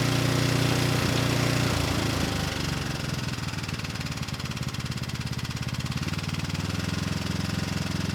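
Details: Rebuilt Briggs & Stratton engine, model 210312-0159-E1, with under 50 hours from new when it failed from running out of oil, slight cylinder damage: settles from a fast run into an even, steady lope, governor holding speed smoothly; normal running.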